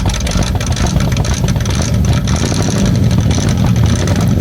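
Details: 1981 Ford F250 Ranger 5.8L 351M V8 just after startup: uneven, stumbling, surging lumpy firing, smelling rich; rough running from vacuum leak and only the carb bowl's fuel.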